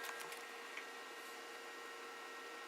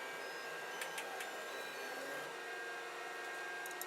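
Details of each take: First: FLSUN QQS delta 3D printer sitting idle: a steady, airy hiss with faint thin whistles from the cooling fan, which is noisy even though deltas are supposed to be quieter; the foam soundproofing touching the top does little. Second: FLSUN QQS delta 3D printer auto bed levelling: soft stepper whirs rise and fall as the arms move the head, light probe clicks repeating, small fan humming; levelling works normally.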